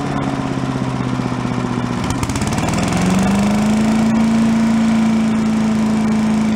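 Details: Yard-sale commercial walk-behind leaf blower, small two-stroke, bought not running with suspected carburetor problems, now run on the ground after repair to check smoke: revs up then settles to a steady, even high buzz, no misfire; normal running.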